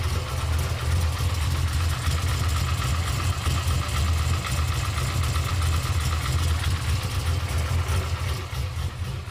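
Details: Camaro at steady idle with a light rhythmic ticking knock of about 2–3 per second riding over the exhaust; owner suspects piston slap, not confirmed.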